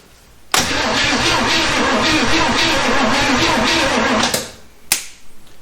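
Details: 1971 Chevy Nova sitting 30+ years, with Marvel Mystery Oil added and spark confirmed: the starter churns at about four beats a second for nearly four seconds without firing. It cranks but won't start; a compression test is next.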